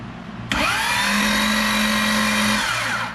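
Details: 2005 Corvette with a built supercharged motor, starter jumpered directly and the engine turning over: a sudden high whine holds about two seconds, then winds down with no engage click; the starter pinion is possibly stuck out and not retracting.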